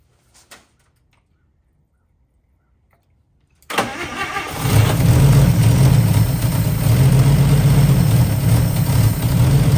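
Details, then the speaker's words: 1955 Chevy, which still isn't drawing fuel on its own: cranks, catches and settles into a steady, even low idle with smooth beat for a few minutes; sounds really nice. "all right if you takeaways from this experience well first of all we were able to actually get it to run for a little bit longer so that's good uh here run for a few minutes she sounds really nice"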